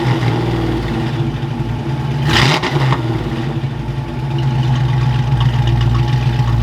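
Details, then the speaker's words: Fox-body Mustang V8, just revived after sitting, timing reset roughly: lumpy, uneven beat that stumbles and won't rev cleanly past a point; dead cylinder because an injector plug was left unplugged after voltage testing. "so that whole not revving thing was because we're firing on seven cylinders boys i was testing for voltage on this side and i left the injector plug off so we run on seven cylinders"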